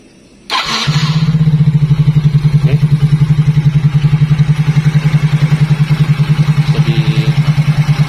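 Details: Yamaha Mio J scooter after starter repair (dynamo/magnet housing and starter switch reinstalled): short starter whir, engine catches within half a second and settles into an even single-cylinder idle, idle still unsteady afterwards; normal electric start.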